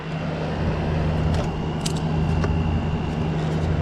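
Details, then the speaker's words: Kool King window air conditioner, first startup of the season on a 70-degree day after cleaning: steady low compressor hum under even fan airflow, no rattles or knocks, evaporator starting to frost and get cold; normal running. "that sounded pretty good I was a great startup sounds really good too"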